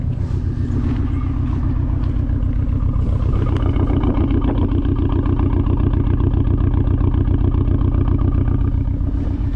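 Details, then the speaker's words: 2004-2007 Audi A4 B7 with 107K miles, idling: rough, lumpy engine that sounds like it runs on three cylinders, with codes P0300/P0302 for a cylinder 2 misfire from a bad coil pack, worse when driving. "Yeah, definitely misfire, and it's way worse if you're trying to drive it."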